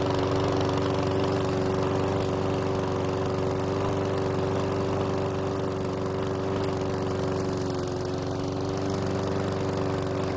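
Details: PowerSmart lawn mower that wouldn't start, after replacing old fuel with fresh: steady single-cylinder drone, constant speed, even firing, no surging or misses; oil in muffler burned off; normal running.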